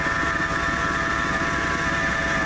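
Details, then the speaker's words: 1997 Ford F150, warm engine (not a cold start) at idle; thin steady high whine over even idle; A/C compressor pulley already replaced without change; laser thermometer shows idler pulley hottest, owner suspects its bearing though it looks new — accessory drive whine. "look like the idler pulley with running the hottest out of everything so I would say that's probably the bearing on the that's going bad that's what's mine kind of narrow down my search as to what's making the noise"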